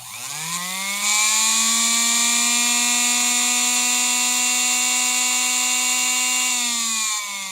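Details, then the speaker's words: Previously dead Singer Featherweight sewing machine motor, retested after diagnosis and general cleaning: spins up smoothly to a high, steady, jet-like whine with clean, even tone and no rattles; runs strong and healthy. "folks that sounds like a jet airplane that sounds like a jet airplane are you kidding me"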